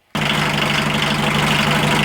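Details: 1980 VW Rabbit MK1 1.5L diesel just after timing belt replacement, belt tension possibly a little tight: fires instantly and settles into a steady, even clatter at idle with no misses or hunting; healthy diesel.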